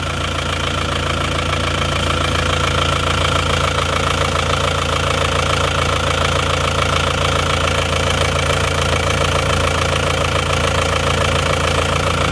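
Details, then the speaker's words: Isuzu Panther diesel that ran out of radiator coolant, idling before overhaul, oil catch tank fitted: rough idle with steady clatter and rhythmic chuffing about twice a second; considerable blow-by and oil consumption, liner scoring feared. "ini termasuk termasuk ngobosnya juga sudah lumayan ya oli juga boros jadi seperti ini"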